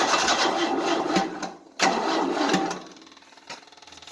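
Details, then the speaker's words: 1988 Tennant 255 Series II sweeper, long-dead battery on a booster, starting fluid sprayed, choke on: sluggish cranking dragging into slow, uneven ticks without catching; battery too weak to spin the engine fast enough, needs charging. "The problem is, there's not enough battery power. And the battery's been so dead for a long time. It doesn't have the crap to do it."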